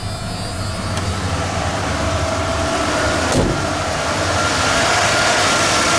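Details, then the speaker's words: Ford Bullnose truck V8 after EFI-to-carburettor swap, temporary low-pressure fuel pump fitted, carb not yet tuned: a steady, fast high idle that doesn't drop back down. "I just had it running and seemed to fire up pretty good it's still not tuned so it runs a little high"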